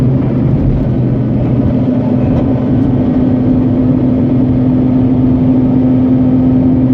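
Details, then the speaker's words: Mazda RX-8 rotary accelerating hard, 50% throttle or more, around 7,000-8,500 rpm: faint tinny metallic buzz over the high engine note, absent on light throttle, no performance change; found to be a loose heat shield rattling. "Now if I gun it, that's where you hear it. Alright, feels like something is hitting against something else."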